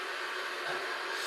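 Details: Unic mini Wi-Fi pico projector running: steady airy rush with faint constant whistle, no pulsing or grinding; cooling fan blows very loudly, its main flaw.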